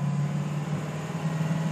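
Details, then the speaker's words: 6.0L Powerstroke diesel under full throttle: deep steady drone with the turbo audibly spooling while revs climb slowly, no pull, not gaining speed and won't shift, no turbo flutter on let-off; codes P0401/P0299. "we just aren't moving you can hear the turbo spooling up and all everything else uh the engine slowly revving up"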